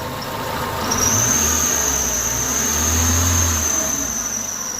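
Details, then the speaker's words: Idling engine with a steady, loud high-pitched squeal that appeared after rainy weather; belt tension checked fine, so the belt was ruled out, and the cause is a worn A/C compressor pulley bearing. "вот так вот это очень сильно дело пищит сейчас будем выяснять глушим двигатель"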